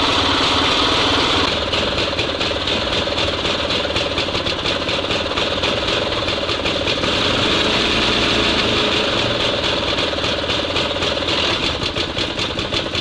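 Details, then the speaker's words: SMZ invalid carriage two-stroke (motorized microcar) after long storage, charging works, gearbox oil still to be added: crisp buzz about four pops a second, even while running and revving; normal running. "Он вроде работает нормально зарядка есть ранник - это не проблема"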